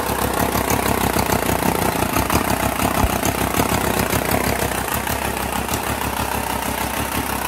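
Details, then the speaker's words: 2.0 TDI BHW diesel on a test stand, destined for a Jeep JK swap, no coolant system fitted yet: steady, even idle clatter with no knocks or misses, running smoothly. "and that's basically it it's running on the test stand"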